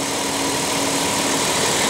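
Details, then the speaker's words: Dodge Grand Caravan at about 170,000 km, recorded under the hood at idle, new battery: smooth steady idle with faint constant hum, no ticks or knocks; normal. "all righty so obviously we haven't had a chance to go through it with a clean but at 170,000 K it's uh puring quite well"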